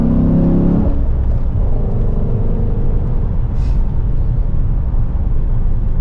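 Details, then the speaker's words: 2010 Dodge Challenger SRT8 5.7L V8 with new Volant cold air intake, on road test: deep steady rumble under road load, even with no stumble or surge, not fighting to breathe; normal running. "It's not, there's not any chugging for air. It's not like it's fighting to breathe. So I'm pretty happy with it."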